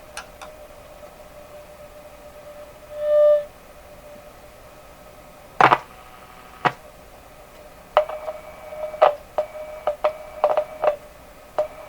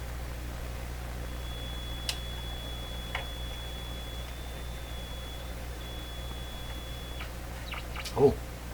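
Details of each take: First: Westinghouse 535 radio: steady mid-pitched whistle of spurious oscillation, pitch slightly different on short wave, with taps and clicks as parts are worked; owner suspects tubes, sounds microphonic, one tapped capacitor he installed responds. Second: Westinghouse 535 radio, traced for spurious oscillation by swapping vacuum tubes; after refitting a tube with heaters still warm, a thin steady high whistle over faint hiss, only ordinary station heterodyne, oscillation gone, no volume as no antenna fitted.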